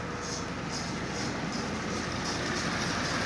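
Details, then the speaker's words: Lionel Sound of Power mechanical tender behind a 1666 locomotive, drive belt replaced with a rubber band: at low speed crisp hissy chuffs about three a second over a light rolling rumble, silent at higher speed; working normally. "It does make noise, but like I said, when you get up speeds like this, it just becomes a standard tender. Slow it down, and it instantly begins to make noise, as you hear."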